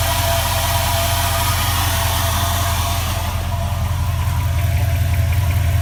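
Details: 2004 4.7 HO V8 idling cold with a steady light tap, about two to three a second, heard at the bottom and rear of the engine under the low rumble; goes away once it reaches operating temperature; owner unsure whether it is engine knock.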